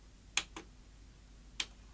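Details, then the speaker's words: Philips VR2220 portable V2000 video recorder (store-room unit), no tape inside, eject pressed: two sharp clicks each followed by a softer one, then it just drops to stop instead of ejecting, even after power cycling; eject failure, no mode lights working. "it switches to stop and that's all it does power cycle it again no okay that's not doing a lot"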